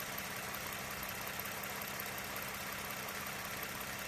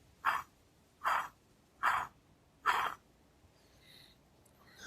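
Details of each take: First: 2009 Lexus RX350 3.5 L V6 2GR-FE after water pump replacement, warmed up until thermostat opened, no leaks: even, steady idle hum with no ticking, knocking or bearing whine; engine running healthy. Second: Removed water pump from a Lexus RX350 3.5-liter V6 2GR-FE, bearing spun by hand off the engine: four short gritty rasps, one per spin; worn water pump bearing, replaced with Aisin OE pump.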